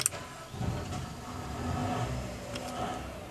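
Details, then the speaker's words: Houseboat Cabaret generator, shore power off and no load, preheat held about three seconds then start pressed: short crank, engine catches and settles into a steady even run; normal start. "so let's just start with the generator press and hold the preheat for about three seconds and hit the start button"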